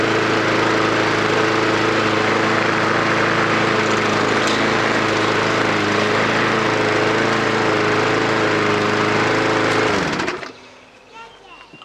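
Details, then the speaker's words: Mountfield SP470 lawnmower, free and stored for years, cold start on possibly old fuel; strong even engine note holding steady with no misses or stumbles for ten seconds before cutting off, normal running. "there's no diaphragm nor you know there's no missing the beat draw it's really really strong"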